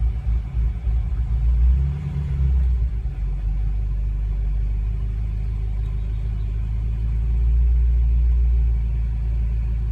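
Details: 2014 BMW M5 engine with a deep, uneven rumble and a lumpy, irregular pulse of about three to four beats a second; running rough from a misfire.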